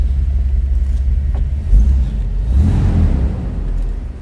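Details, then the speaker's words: 1953 Chevrolet Bel Air hardtop, inline 235 six, shortly after a cold start; deep, even rumble rising cleanly on two quick throttle blips and settling back, with nice throttle response; healthy engine. "throttle response, a little rumble coming out of that inline 235."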